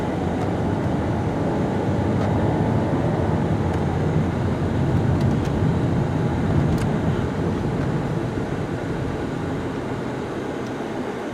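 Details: 2009 Pontiac G8 with 200k miles, driving with air conditioning on: steady even road rumble from inside the car with no growl or hum rising with speed; normal wheel bearing.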